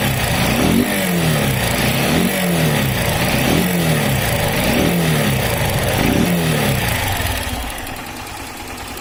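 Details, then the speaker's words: Honda CG 160 Start motorcycle, 29,000 km, run low on oil and died smoking: throttle blips bring a harsh, rattly clatter rising with revs from the cylinder head; engine to be removed for inspection. "e aí já dá para sentir o barulho forte no motor"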